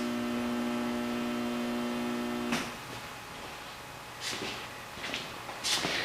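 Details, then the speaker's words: Delay timer powering 20 lights as a cheap amp load test on a 10 amp fuse: steady electrical hum as the lights come on briefly, then a sharp snap at about 2.5 seconds and the hum drops out; overloaded fuse blows. "And I can hear the fuse snap as it burns, but the 10 amp fuse did hold briefly."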